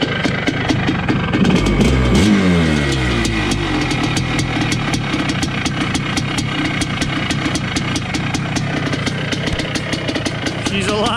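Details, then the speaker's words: 1980 Honda CR250 Elsinore two-stroke, first start in a decade after restoration, carb not yet tuned: blips, then a fast, even crackling idle with no knocking or misfire; normal idle. "i don't know if it'll stay idling here i haven't really played with the carb yet but he's alive my god sounds good too"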